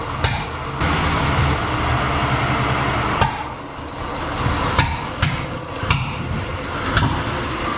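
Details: 1937 Chevy barn find: rough uneven running with sharp irregular lean pops backfiring through the carburetor, caused by crossed spark plug wires out of firing order.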